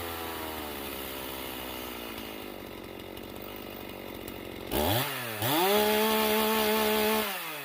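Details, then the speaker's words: Stihl MS391 chainsaw after test cuts: off full throttle revs hang high and sag slowly for seconds before suddenly dropping to idle, repeatedly; hanging idle, low jet tuning or something else suspected, not confirmed. "coming back down to idle though it's hanging for some time you can see there i did it a few times that's not a real comforting symptom"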